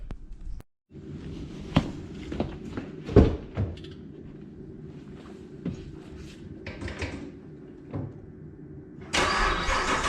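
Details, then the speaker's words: Cold start of the Krypton Camaro after sitting dormant a long time with a possibly dead battery. Brief crank, then the V8 catches into a slightly lumpy, surging cold idle with blips. Normal cold start. "she did start definitely a little cold should I idle down here in a second I would like to get that NATO tune in a little bit for so it doesn't surge so much on cold surface"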